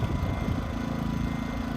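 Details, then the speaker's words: New Westinghouse iGen2500 inverter generator, just after break-in, running on the far side of a 28-foot camper before loading its 13.5k AC without a hard start capacitor: even, very quiet steady hum with no surging or knocks; healthy. "as you can hear it's actually on the other side of the camper as things unbelievably quiet"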